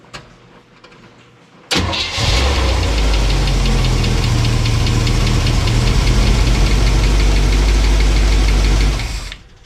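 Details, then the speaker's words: Old truck after a fuel line replacement, one tappet adjusted after cam break-in: catches and idles with a light regular ticking. Owner fears a lifter not pumping up. "All right, that tappet. I adjusted one. I had to adjust one after I broke the cam in because we could hear one of them chattered. And I adjusted that down and I didn't hear it anymore. And it sounded really good. But now I hear it again."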